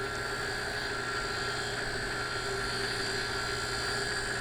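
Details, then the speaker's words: Dão 16 HP lift water pump after bearing replacement running smoothly with a steady hum and even motor whine, no grinding or rattle, sounding like new. "depois a bomba ficou novinha novinha novinha novinha barulho de nova da loja"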